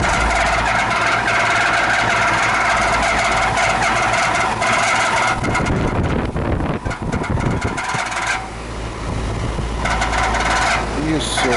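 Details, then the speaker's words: 20-year-old outdoor AC unit after twenty minutes running: loud steady droning roar with whining tone from failing condenser fan motor, needing replacement. "Here is that noise. Yeah, it's the condensing motor."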